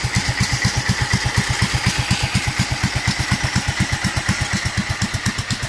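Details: Duromax 18hp single-cylinder engine: slow, lumpy thumping around eighty beats a minute, barely hanging on at idle and close to stalling.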